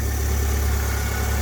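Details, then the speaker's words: Alfa Romeo 145 Cloverleaf with 111,000 miles, just after start-up: a smooth, deep, even idle with no variator tapping, and it starts quickly. A healthy engine. "What we're listening for is a tapping sound when you first start it up. Now, which there isn't one, so the variator in this is pretty"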